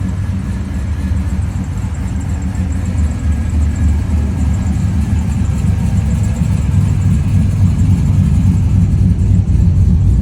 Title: The 🍒 Fbody has a misfire!!! #fbody #fbodynation #fbodybros #4thgenfbody #fbodyforlife #fbody_guys